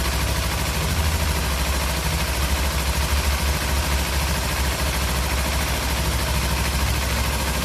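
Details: Kawasaki Z300 twin in neutral, just started after a spark plug change, left unrevved: steady, even idle with a smooth low rumble and no knocks, misses or ticks; sounds healthy.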